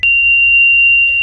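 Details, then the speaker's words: Nissan Sentra idling in neutral: steady high-pitched warning chime sounds unbroken over a quiet idle because the shifter is in neutral; gear position warning, unrelated to the low-speed rolling noise being investigated. "o carro tá com essa alarmes tourada porque ele tá em neutro"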